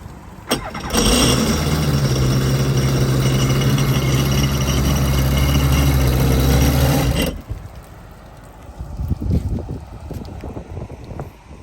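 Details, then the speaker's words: 2010 Kawasaki Ultra 260X jet ski after restoration, running: a deep supercharged rumble with a rattle from a bad supercharger bearing, which is to be removed and fixed. "the only thing is the supercharger is it has a bedding that is bad and then gonna take it out and fix it that's the rattle noise that you hear there"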